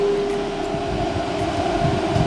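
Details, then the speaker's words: New 24V DC Cooltronic truck parking cooler with two compressors (Secop controller), set to 15 degrees: compressors start and condenser fan runs at second speed, a steady even hum with smooth fan rush and no rattles or cycling; normal running. "so the compressors will start yeah we hear that also the condenser fan started yeah into the second speed"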